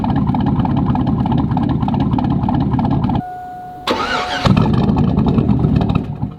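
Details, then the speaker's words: Lifted 2002 Chevy Tahoe with a cammed 450 HP crate motor, after a fix for an earlier high-idle problem: a deep, choppy V8 idle with a steady lumpy lope, holding evenly without stumbling. Normal cammed idle. "let's see what happens sounds a lot better y'all heard it here"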